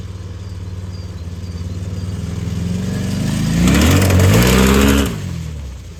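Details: Homemade tiny reverse-running mini buggy on its first real test: even twin-cylinder thrum that climbs cleanly under acceleration and drops back smoothly, no knocks or rattles; healthy normal running.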